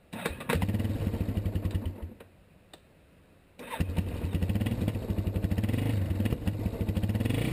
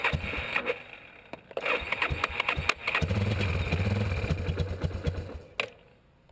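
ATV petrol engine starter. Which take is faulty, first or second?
second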